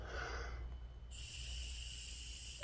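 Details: 2008–2012 Ford Escape 3.0L V6 evap purge solenoid, codes P0456, P2196, P2198: air blown through the closed valve gives a steady airy hiss where it should fully block. Purge solenoid leaking when closed.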